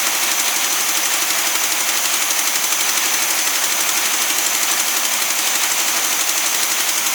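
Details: Newly acquired SpraCoupe air-cooled flat-four for a 1961 VW bus, running on coil from original bus engine: even steady chatter at idle, quick regular beat, no misses or knocks; oil light goes off instantly; running healthy.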